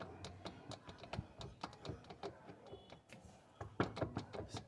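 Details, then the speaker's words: Fiat Marea: irregular sharp clacks and knocks as the worn wheel-side CV joint is worked by hand; the stabilizer link is also worn and causing suspension noise. "de repente seu Maré começa a fazer barulho homocinética mocinete tá ruim essa aqui ó"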